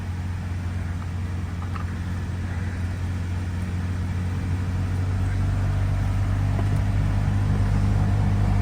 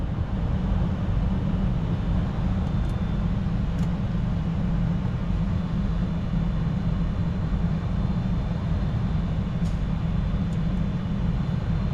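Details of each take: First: 2014 Toyota Venza idling with the heat on: a steady low humming drone with physically felt vibration, diagnosed as a failing heater blower motor. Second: 2014 Toyota Venza after blower motor replacement: steady, even low rush of air, no ticking or scraping; old motor bound up from a clogged cabin air filter obstructing the fan.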